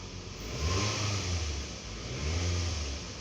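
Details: 2009 Toyota Camry after misfire repair (codes P0300, P0302, P0303; fuel pressure about 46 PSI): two smooth rev swells with an even exhaust note and no stumble or popping, so the misfire seems gone.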